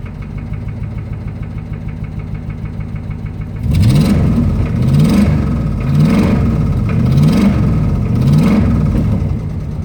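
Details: 2005 Ram Hemi V8: low rhythmic thump at idle, then deep knocking under repeated revs rising and falling; rod knock.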